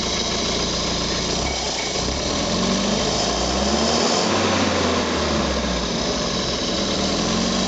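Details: Renault Frégate Colorale modified engine, first start: steady even idle with a smooth low beat, no knocks or ticks; engine runs cleanly.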